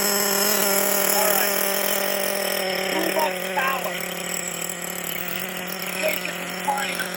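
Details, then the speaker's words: Kyosho Foxx 2.0 nitro RC car on first start-up after full rebuild: high steady buzzing drone with faint fluttering beat at idle, idling fairly consistently after throttle trim adjustment, but clutch still engaging because the engine needs breaking in. "okay the throttle trim seems to have stabilized a little it's still engaging i need to break this motor and that's basically the problem right now but the motor is idling fairly consistently"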